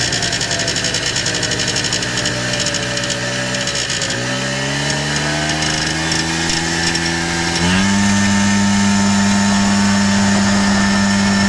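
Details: 1994 Polaris Xplorer 300 4x4 single-cylinder engine after a top-end rebuild: raspy buzz at certain RPM ranges and on deceleration, with or without the primary clutch, driving or stationary; nothing obvious rubbing or vibrating.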